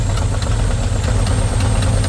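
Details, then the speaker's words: 1977 Pontiac Formula Firebird barn find, parked since 2007, first run after fuel line hooked up to the carb: steady, even low rumble at idle, no knocks or misses, hardly smoking anymore, petering down a little; normal idle. "It's going to sit here and idle. Hardly smoking anymore."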